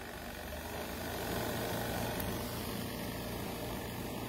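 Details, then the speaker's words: Cosway compact washer combo in a camper on a five-minute spin; even, steady whirring hum with no knocks or scraping, running really quiet and wringing clothes practically dry; normal spin cycle. "so i'm thinking i mean i put it on a five minute spin it got really quiet"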